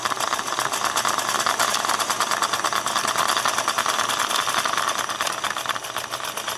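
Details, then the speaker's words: Singer 401A aluminum sewing machine in for motor and gear work, run with lid off; fast, uneven clattering rattle about three beats a second over the motor whir: running rough and loose, nowhere near normal. "well i'm guessing you can probably hear through the camera but that is not running like it's supposed to be running uh not even close"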